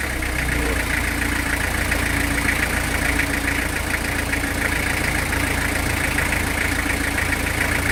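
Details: Old truck that has sat unused for a long time, started on WD-40 and lighter fluid, out of gear with no visible smoke: first-run idle at about three beats per second with a slightly uneven rhythm while warming up.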